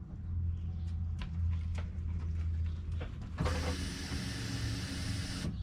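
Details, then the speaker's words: 2003 Chevy Suburban 5.3L 2WD with suspected fuel issues: after key-on click, a steady buzzing hiss runs about two seconds then cuts off cleanly, normal fuel pump prime heard from inside the vehicle. "so we're listening is for that filled pump to prime it's pretty noticeable go ahead and do it two more times and you can clearly hear that feel pump priming"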